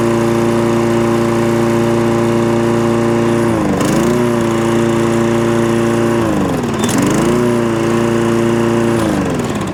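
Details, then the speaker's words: Toro Recycler mower engine holds a steady drone, then twice sags and stumbles for about half a second before recovering; intermittent cutting out, cause not yet diagnosed, carburettor, fuel tank or automatic choke to be checked. "it's an intermittent fault they're the hardest ones to chase"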